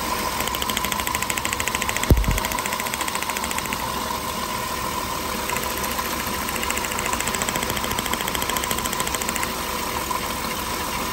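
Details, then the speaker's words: Engine with new spark plugs and new plug wires shaking at idle: steady idle with fast even ticking and an uneven shake underneath. Rough idle from a cylinder 4 misfire. "Entonces la bujías están nuevas los cables tan nuevos como pueden ver el motor el fino está temblado tanto pero el problema Sería el lo vamos a vamos a ver si el dueño lo quiere cambiar"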